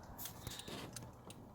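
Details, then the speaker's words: 2004 Ford Ranger with LED switchback bulbs after new flasher relay module installed, heard in cab: soft relay ticks at relaxed even pace, hyperflash gone; normal turn signal flash rate. "more hyper flash let's go check it out nice so now the hyper flash is gone"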